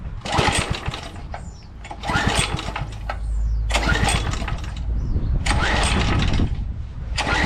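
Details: 2007 McLane reel mower, which fires and shuts right down, cranked on choke on a day of about 84°F: repeated recoil pulls give short churning bursts with no catch; a no-start.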